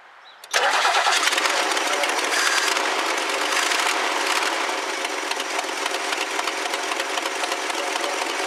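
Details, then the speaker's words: 1969 Lincoln Mark III, first start with carburetor refitted after fuel poured in; cranks briefly, catches sharply and settles into steady even run with no knocks or misses; healthy start. "all right that sounds like a win"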